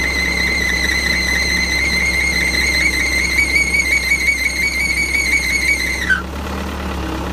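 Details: Final drive motor: steady high screech for six seconds, then it slides down in pitch and stops; a weak charge pump keeps the brakes from disengaging, causing final drive brake drag.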